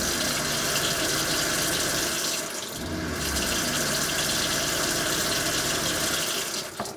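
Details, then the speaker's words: Everflo EF5500 water pump in 2002 Cougar fifth wheel RV after replacing erratic, failed pressure switch: steady even pump hum under strong rushing water at full flow, no stuttering or cycling; problem solved, running normally. "works perfectly problem solved for uh $10"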